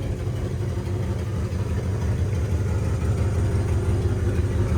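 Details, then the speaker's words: 1955 Packard Clipper Super Panama V8 idling cold; lumpy idle with a faint puffing tick from a slight exhaust manifold leak that tames down somewhat as the engine warms up. "So there is a slight exhaust leak, as you can hear. Now as the engine warms up, it does tame down a bit, but we like to disclose that."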